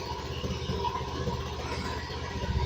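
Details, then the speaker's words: Fuel-injected Honda Beat scooter idling after oil was injected into the cylinder to clear carbon from valves that were not sealing and leaking compression: quiet steady idle without stumbles, faint street noise; running normally again, leftover oil smoke. "motornya alhamdulillah langsung hidup teman-teman ya."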